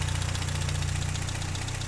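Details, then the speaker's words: 1959 Triumph TR3A during pre-purchase inspection, no coolant bubbling or blow-by smoke: steady, even four-cylinder idle with smooth low thrum, no deep metallic knocking from top or bottom end; normal idle. "not hearing any abnormal engine noises like any deep metallic noises coming from the top or bottom bottom in"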